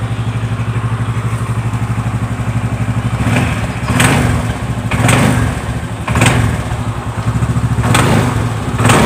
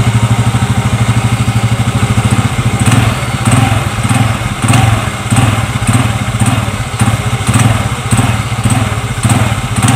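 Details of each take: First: Yamaha Xeon GT125 scooter idling: a sharp knock ("jedak-jedak") from the CVT housing each time the throttle is first cracked. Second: Xeon GT125 scooter with a complaint of clunking from the CVT when first opening the throttle, after replacing the small clutch-shoe seat bushings; blipped repeatedly from idle, it picks up smoothly each time with no clunk.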